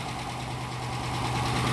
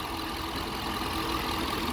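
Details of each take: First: Police Dodge Charger HEMI just started after replacing lifters with new updated parts to cure a tick and misfire: light quick ticking over smooth idle easing off as oil reaches the new lifters. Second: Police Dodge Charger HEMI V8 patrol car after repair of top-end tick with new genuine Mopar parts: smooth even idle, steady low rumble, no ticking; normal idle.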